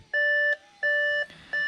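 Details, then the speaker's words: 2013 Audi A6 with 93,000 miles at ignition-on: three evenly spaced dash chimes with a false "not shifted into park" warning while it is in park; the starter is heard but it won't start, traced to lost transmission module communication. "It says the car is not shifted into park. And it clearly is in park."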